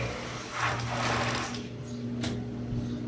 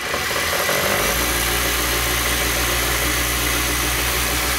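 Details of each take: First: Overlock sewing machine, rarely used: whirs briefly then drags down and stops when the pedal is pressed fast, though power is fine; old thickened oil binding it. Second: Overlock sewing machine that wouldn't power on and stalled when pedal pressed fast, after cleaning out thread and fresh oil: smooth, even fast whirring without stumbling until switched off; runs freely at high speed.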